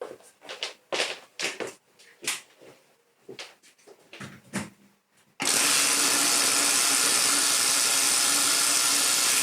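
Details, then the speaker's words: Donated old Hoover Junior upright vacuum switched on: loud, harsh, hissing roar holding steady, rough and unhealthy; a burnt-out carbon brush is suspected as the cause. "what the hell oh that doesn't sound fantastic but I think we can assume that that class is as it runs"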